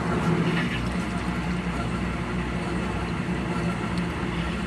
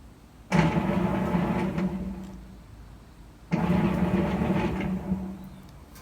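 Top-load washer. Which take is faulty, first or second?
first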